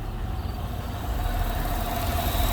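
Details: First start after the noisy vacuum pump, which sounded like bad lifters, was removed, holes plugged, brake booster teed into the intake and catch can on the PCV; catches and settles into steady low idle, no ticking on top; normal start.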